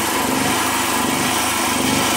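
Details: Generator just repaired by a young local mechanic and pull-started: small single-cylinder engine humming at steady high speed with no misses, surges or knocks, running clean and even.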